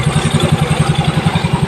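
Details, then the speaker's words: Yamaha Mio Soul i at idle after turning the broken cam chain tensioner, which the mechanic warns will let the noise return: steady idle at about eleven beats a second with no chain rattle or slap, quiet for now. "kay ngayon tahimik Oh wala na oh wala"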